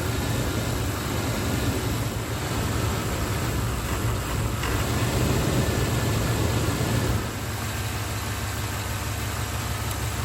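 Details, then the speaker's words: 1994 Chevy OBS V8 at idle after a distributor and ignition coil swap, before timing was set: low, uneven, shaky idle vibration. The timing mark shows the ignition timing is off. "blinking every time I hear that in the motor that vibration every time I hear that I see the timing mark where it's off about that far"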